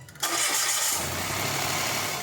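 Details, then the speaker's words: Mitsubishi Mirage G4 start-up after new fan belt fitted and oil change: starter catches quickly and settles into a steady idle; the earlier noise is gone, sounds healthy. "And mga boss, umi-start na itong sasakyan ni customer at wala na nga yung ingay niya."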